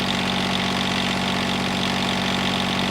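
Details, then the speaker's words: John Deere 332 lawn tractor with Yanmar diesel, warm after voltage regulator change (readings about 169, radiator 147, exhaust manifold over 200): steady even clatter at idle, no misses or knocks, quiet when riding; normal healthy idle. "riding on the unit, it's surprisingly quiet. It's quieter than a Snapper lawn mower. I can tell you that."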